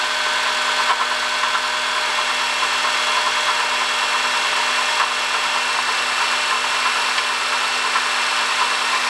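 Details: 2005 Honda Odyssey, 268,167 km: constant high whirring and faint gritty hiss over steady engine tone; worn water pump bearing, fixed by replacing water pump, thermostat, thermo switch and coolant.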